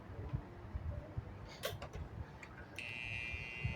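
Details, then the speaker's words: Whirlpool washing machine electronic control board powered on the bench: thin steady high buzz, no power-up and no response to any button. "y ahí está el ruido característico que vive el cliente que hacía escuchen y vamos a encender vemos que no enciende con ningún botón y ahí pueden apreciar el ruido"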